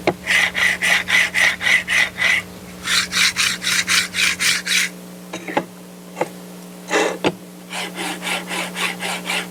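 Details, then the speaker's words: Budget linear rail carriages, black one oiled and silver one greased, slid back and forth: steady raspy whoosh each stroke, oiled loud, greased much softer; oil works fine, just louder; normal rolling noise. "As you can hear right there, the grease is a lot quieter, which is one of the reasons I kind of wanted to make sure that worked, because I really get fed up with all the noises involved with 3D printers."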